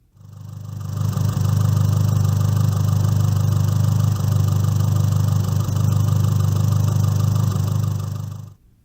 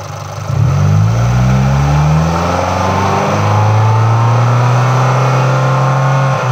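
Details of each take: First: MultiAir engine at hot idle in sport mode with air conditioning off, failsafe mode triggered by disconnecting the blow-off valve: a steady, harsh, abrasive knocking about three or four beats a second, which is the MultiAir failsafe mode knock. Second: MultiAir engine revved up the range: the valvetrain rhythm shifts abruptly around 3,000 rpm as the MultiAir unit changes from late intake valve opening to full lift, which is normal operation.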